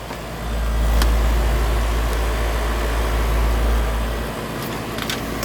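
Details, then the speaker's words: Heat pump outdoor AC unit running again after its contactor was replaced and the safety disconnect reinserted: steady, deep, smooth compressor hum, normal operation. "yeah look at that it's going to be some cold there now and you can really hear that compressor humming in"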